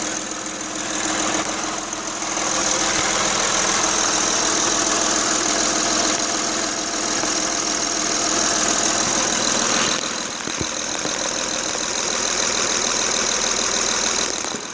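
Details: Honda Ridgeline 3.5L at idle with a quick, fairly steady ticking knock, roughly three to four per second. It persists with each coil pack disconnected and with the accessory belt off, ruling out front accessories; the source is still undetermined.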